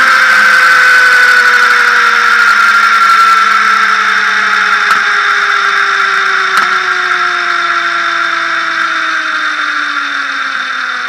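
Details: Motorcycle drive spinning down twice, with a high steady whine over falling tones: strange abnormal noise from the front sprocket area.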